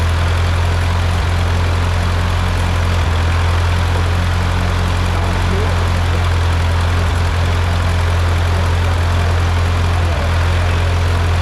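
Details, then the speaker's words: Ford 8N tractor engine just rebuilt, first run: low, steady idle with an even beat and no knocks or misses; clean, healthy-running engine. "Sounds good. Yeah. No, it sounds really good."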